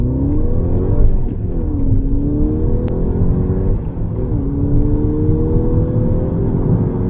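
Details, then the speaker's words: 2011 VW GTI (MK6), 136,000 miles, with turbo underboost, low oil pressure and misfire codes, on test drive: engine note climbs smoothly through each gear, drops cleanly on shifts, no knocks, rattles or misses. Pulls well. "does crap this little thing goes it's no dodge viper but uh it definitely moves for a little car it's kind of fun man"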